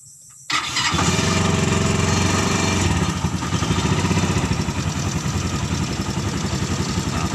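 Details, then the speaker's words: Suzuki Carry 10 cut into a pickup, fitted with Thunder 125 motorcycle engine, bent exhaust with small pipe: brief crank, then quick even single-cylinder beat at steady throttle; normal start after over a year of work use. "Masih suara motor kan? Ini knalpotnya ee yang di pangkalnya itu ya."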